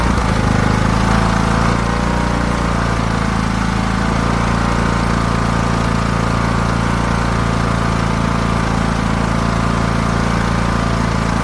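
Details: Craftsman T1600 riding mower after new carburetor replacing a corroded one, fresh fuel, mowing: loud engine with a slightly uneven, wavering beat and mowing noise on top, speed hunting somewhat; surging, cause unknown to the mechanic.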